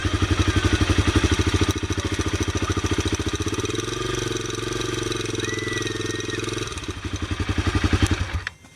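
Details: Honda CRF250L big-bore single-cylinder motorcycle engine idling with a hard, regular knock riding on each firing pulse.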